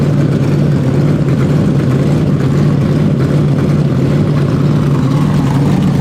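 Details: First fire-up on methanol of a 427ci Dart LS Next 2 race truck engine with Dart LS3 heads, solid roller cam, billet crank and rods, twin 82/84 turbos; fuel pressure only 70 psi base; loud, steady, crisp idle, no misses or knocks.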